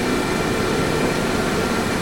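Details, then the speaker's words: Wood lathe spinning a warped square-platter blank at reduced speed, checked for clearance: a steady, even hum with no knocking or rubbing, running true, normal. "Okay, so spinning it to make sure it's not hitting, I slowed the speed down a bit, start a bit slow and speed it up. Yeah, it looks like, I'm looking to see it's running pretty true."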